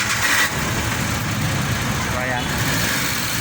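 Engine catches and settles into a steady, even idle with no misses or knocks; it's running normally now.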